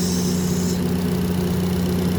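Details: 2023 Kia Sportage after replacing the faulty intake camshaft variable valve timing gear, timing chain and tensioner: steady, low, even idle hum with no ticking or rattle; some hydraulic lifters still filling with oil.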